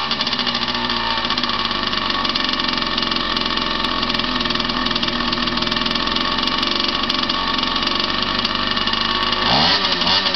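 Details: Unidentified vintage 50cc two-stroke trials minibike, just bought and got running, exhaust routed through the frame: steady buzzy high-pitched startup-test idle, even firing, short blip near the end; runs healthy.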